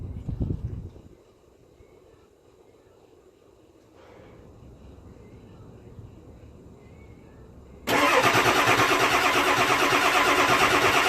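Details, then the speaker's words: Ford 7.3 Powerstroke diesel, cold (below 50-60 degrees), before the fix; steady cranking about three beats a second that never fires, white fuel smoke from tailpipe; cold no-start blamed on injector electronics clearances. "all that crankin and it doesn't matter how many times they do it when this thing is cold anything below 60 degrees 50 degrees it is not starting just rolls the white fuel smoke out of the tailpipe"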